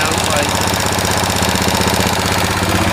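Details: 2000 Kawasaki Lakota single-cylinder idling on original carb, not fully warm, smoking and burning oil after oil and filter change; quick even tick about four per second over exhaust pulses, a bit of valve noise; owner suspects rings needed.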